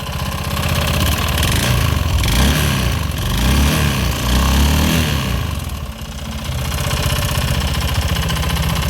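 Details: Honda Scoopy FI scooter: rough, uneven rattling knock at idle about four per second, persisting with front pulley removed, from inside the engine; oil found near filter area, possible low oil or cam chain adjustment suspected, unconfirmed.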